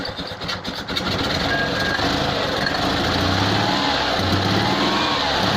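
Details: Invacar three-wheeler twin on axle stands after exhaust replacement (joints still without clamps): brief stumble, then a steady, even run with no misses, while oil and muck burn off the exhaust.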